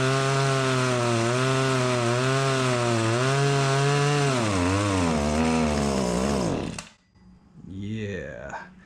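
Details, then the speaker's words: Stihl HS80 hedge trimmer, idles fine but falls on its face on throttle, fresh fuel, during carb adjustment: two-stroke buzz surges and sags, stalls, weak restart; no adjustment response, air leak or dirty carb suspected, later found backwards-assembled carburetor. "Something else is going on because I'm not really getting any kind of a adjustment out of there. So we could be dealing with an air leak, or we could be dealing with a dirty carburetor."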